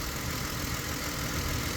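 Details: 2008 Ford Explorer with random stall and no-start (alternator wiring, MAF, throttle position sensor, fuel pump suspected but unconfirmed): quiet, even idle with no stumble or miss; idling normally.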